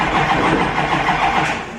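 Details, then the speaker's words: LML Duramax diesel, CP3-swapped, up-pipes, head studs, second crank attempt after checking a possibly loose injector for leaks: harsh metallic grinding throughout cranking, no start; sounds like metal on metal, cause unconfirmed. "yep I don't know if you hear that sounds like metal on metal but that's very interesting"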